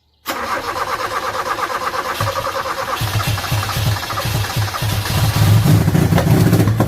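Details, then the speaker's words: 1986 Toyota Corolla KE70 abandoned for years, possibly stale petrol and water in the carb: sluggish, uneven slow cranking that drags and never catches; weak battery can't spin it, new battery needed. "oh battery doesn't like it it looks like there's water in the carb sure let's try it again"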